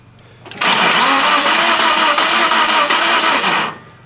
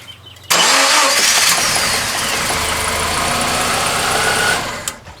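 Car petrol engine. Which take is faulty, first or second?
first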